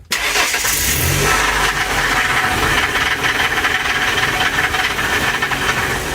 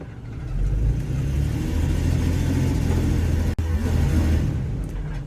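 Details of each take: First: 2002 Ford E150 4.2L with P0340 cam sensor code and chugging complaint, doghouse off, in gear and power-braked after repair: fires instantly, loud steady idle with crisp valvetrain clatter, no stumbling or cutting out; normal start and idle. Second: 2002 Ford E150 4.2L with P0340 cam code and chugging on the road: under throttle while power-braking, engine runs rough with uneven stumbling beat, kicking, bucking and brief cut-out; misfire from worn plugs and wires, fine at idle.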